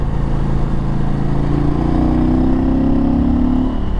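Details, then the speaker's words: KTM 890 Adventure R Rally with Wings exhaust and quickshifter, riding on road: deep, even twin growl climbing smoothly as throttle opens, no misses or knocks; healthy engine. "God that it sounds perfect with the wings exhaust"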